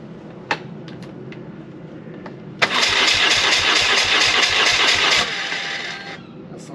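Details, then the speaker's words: BMW R1100R motorcycle after new fuel pump, fuel filter, quick-disconnect fuel lines and replacement coil, battery a bit low: a few clicks, catches and runs roughly about 2.5 seconds then dies; still won't hold idle, dies under throttle. "everything runs but it dies as soon as it goes into throttle it dies"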